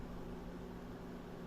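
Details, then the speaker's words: AMD RX 7600 dual-fan graphics card under full GPU stress test, fans about 2,500 rpm, GPU 92–94 °C, around 185 W: steady whooshing roar with even hum, no rattle; loud fans under full load. "they are a bit noisy but this is a dual fan design again look at this"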